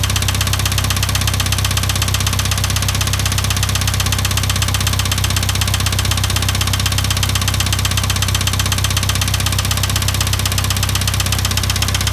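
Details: IH 2544 tractor engine at idle with a sharp, regular knock about four times a second; source of the knock not yet determined.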